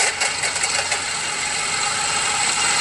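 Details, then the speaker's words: Car at idle with a bad alternator, battery at 12.3 V and voltage dropping; heard through a screwdriver used as a stethoscope on the alternator, harsh gritty metallic rattle over the idle — alternator bearing rattle. "that noise is definitely coming from the alternator"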